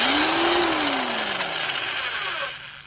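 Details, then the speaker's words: Harbor Freight Bauer corded impact wrench (1050 ft-lb nut-busting, 300 ft-lb fastening, 8.5 A motor) free-running on its rocker switch: motor whine rises sharply, holds high, winds down smoothly on release, no rattle or grind. Normal, aggressive free run. "And on rocker switch, you can hear it's pretty aggressive."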